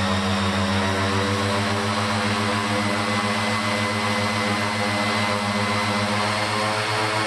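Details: Raptor prototype aircraft engine, ECU-equipped, warming up on a ground test run for fuel-burn comparison, brought briefly to just under 3300 rpm then back to 2700: steady even propeller drone, clean low beat, no misses; normal run-up.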